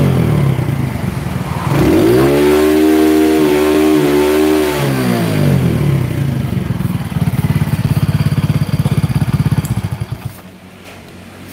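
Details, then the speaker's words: Honda Win motorcycle, owner's complaint of rough engine and capped power: at full throttle the revs climb then hang flat with a rough, uneven clatter and won't pull higher; cause not yet diagnosed before teardown. "Nah, kalau mentok itu kalian bisa lihat sendiri, saya sampai pol, suara mesin bertahan di situ-situ aja. Jadi akselerasinya kayak nggak naik, mentok."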